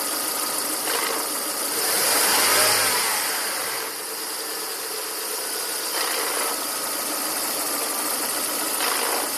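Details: 2000 Volvo S40/V40 1.8 122 hp engine; hissy, raspy idle with a rough rushing sound that swells and fades every few seconds over a steady engine; source of the rasp not pinned down.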